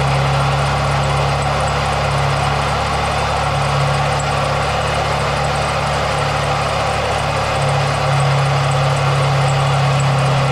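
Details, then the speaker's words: Jeep Wrangler idling with AC switched on: rough, slightly uneven drone with faint whirring hum and slight squeak; owner thinks the AC compressor pulley bearing is failing, to be checked by pulling the belt. "yeah yeah look at that I think it's that conditioner fully buried I think that's a problem which in turn is causing a little bit of squeaking"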